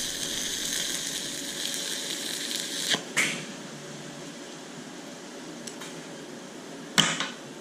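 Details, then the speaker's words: YesWelder Firstess MP200 stick welding at 90 amps: a steady high crackling sizzle with a few sharp pops, the arc soft and thin, weaker than the set current should give. "definitely wasn't bad but it's it's pretty cold for it doesn't feel like 90 amps"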